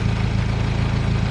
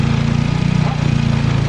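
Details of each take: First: Turbocharged car, after fixing leaking vacuum T fitting for P0507 high idle: steady low even idle, dropped below 1,000 rpm from above, no hunting or hiss; high-idle code did not return after clearing and driving about 20 minutes. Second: Turbocharged car with a P0507 high-idle check engine code; the owner suspects a vacuum leak from added turbo fittings. Spraying brake cleaner on a vacuum hose/tee gives a steady, slightly fast idle with a low even hum and a clear idle change.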